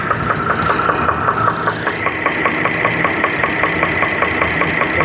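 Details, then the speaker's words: Chevrolet Traverse V6 at idle: loud steady knock about two and a half beats a second; engine knock, engine to be torn down to find the cause. "pretty loud, huh? He's knocking and he wants to come out."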